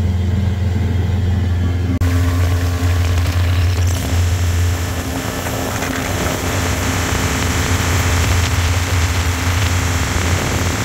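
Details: 1983 Evinrude 70hp outboard after new spark plugs and compressed-air cleaning, which cured a loss of full throttle. It holds a steady, strong drone at high revs near 54–55 km/h with no misses, running normally.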